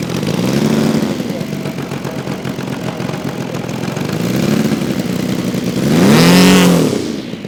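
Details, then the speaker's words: Saito FG-60R3 3-cylinder radial in a Legend Hobby T-28 Trojan RC plane, first run with cowl on, full-throttle run-up: blubbery muffled note never climbing cleanly to peak revs; running too rich. "I did a couple Full Throttle run-ups and it didn't quite clear out to Full Throttle"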